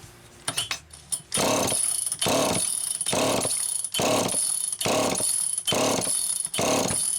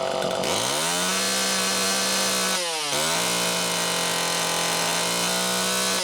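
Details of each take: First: Old Super EZ Automatic chainsaw with deteriorated filter grommet and stiff fuel hose: about eight rasping starter pulls, never fires, not drawing fuel; no start from fuel starvation. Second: Super EZ Automatic chainsaw, near-new condition, second test run: revs to a steady high buzz, bogs slightly and recovers cleanly twice; runs strong and healthy.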